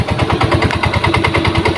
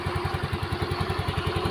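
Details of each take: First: Yamaha Mio M3 scooter at idle with a weak battery: rough, fast tok-tok rattle over the engine beat, harsher at idle and when starting to open the throttle; traced to a worn CVT clutch part. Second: Yamaha Mio M3 scooter, brought in for an odd rattling noise at idle, idles with a soft, even thump about ten beats a second and no clatter; sounds quiet and smooth.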